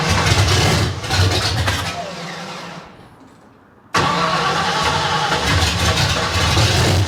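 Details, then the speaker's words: 1972 Ford Maverick with newly built 317 V8, run briefly without coolant; catches, sags near stall, hunts unevenly; carb floats too low, possible vacuum/air leak suspected, tuning needed; erratic idle. "all right well it runs yeah it just seems like it's bouncing around a little bit it's not real consistent so floats got to come up too they're too low"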